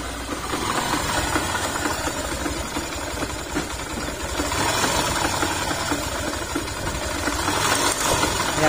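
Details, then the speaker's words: Yamaha YTX125 single-cylinder engine running after an overhaul with all bearings and the connecting rod replaced: an uneven knocking rattle at about four per second persists. Suspected primary gear driving the clutch housing, not the bearings. "nagse option si sir kasi pinabibili siya ng ano ng Pisa yung gear dito na Ano ba yun Parang primary gear ng ano para umikot yung ano clutch housing natin"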